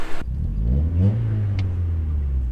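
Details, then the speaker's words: Honda Prelude running after cylinder head reinstallation, during heat cycles before its first test drive: smooth, steady low drone with a brief rev rise and no knocks or ticks. Engine quiet and healthy. "It seems like it's running pretty decent right now, actually. Motor is pretty quiet."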